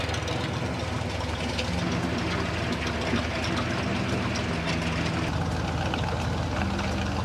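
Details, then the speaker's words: Freshly overhauled Ford 302 5.0 roller V8 on its second break-in run, warm and finally up to temperature with the fans on, fitted with a CBF electric water pump; a small coolant leak is identified. Steady, even drone with no knocks. The water pump is quiet, with coolant audibly sloshing. "Water pump is fairly quiet. You can hear it slushing around in there."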